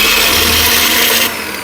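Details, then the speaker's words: Preethi mixer grinder running at full speed, motor in series test: loud harsh rattling roar with hiss, upper drive coupling wobbling heavily with much play; worn drive coupling. "इसमें जो ऊपर कीको जिसकी coupling देखो ये बहुत ज्यादा हिल र है यानी कि इसमें ला बहुत ज्यादा"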